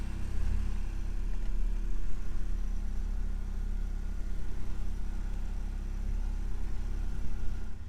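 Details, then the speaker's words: 1991 Ford Mustang coupe, automatic, 2.3 four-cylinder before removal for a 5.0 swap: smooth, even low hum with steady rhythm and no knocks or misses; normal running. "Listen to that 4-cylinder purr. It's gonna be the last time you hear it running,"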